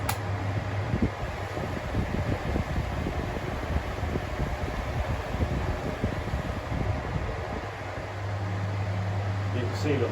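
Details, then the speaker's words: 2000s Bionaire 2cool 16-inch pedestal fan on low while oscillating: loud low fan roar with an irregular rough rumbling as the head swings, poor oscillation; new noise not present before, cause unclear. "see the very poor oscillation. And whatever that noise is, it wasn't making that before now."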